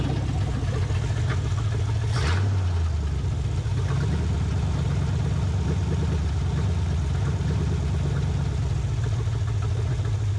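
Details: 1980 Camaro V8 running again after over 10 years, with a used carb and new hoses: lumpy, uneven rumble; owner thinks it's a bit out of time with a knock wanting to happen; rough running.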